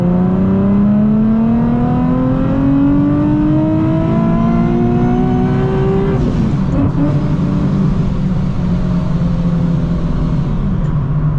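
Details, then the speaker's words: Nissan 370Z/G37 with Soho A2A cog supercharger kit, ~20 miles after a belt break, third-gear pull from 30 mph to redline: rising supercharger whine for six seconds, then sharp blow-off valve whoosh on lift-off; belt still intact and driving. "I still hear the blow-off valve. That's good, right? Here, let's check. Yeah, I can still hear it."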